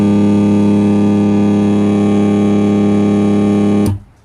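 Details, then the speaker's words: 2022-built 2N3055 transistor amplifier, one channel with no sound: loud steady mains hum and buzz with no music while the series test bulb glows; cause found as a loose filter capacitor and resistor joint. "तो आपने देख लिया होगा humming इसके अंदर आ रही है बहुत ज्यादा और सीरीज का बल्ब भी इसका ग्लो हो रहा है"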